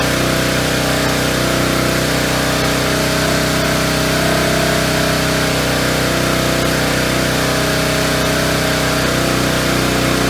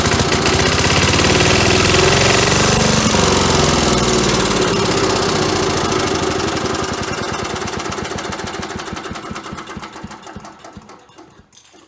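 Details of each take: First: Engine driving an auction-bought hydraulic pump for rescue jaws (supposedly about 12,000 lb): steady, even drone with faint ticking beat; jaws open and close but awfully slowly, owner unsure whether rusty pivots, the valve or the pump limits flow. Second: 1977 Agway 1500 W permanent-magnet generator, engine primed with gas down the carburetor, light plugged in: rapid, even firing about four beats a second, then dies off; runs briefly on primed fuel, light came on.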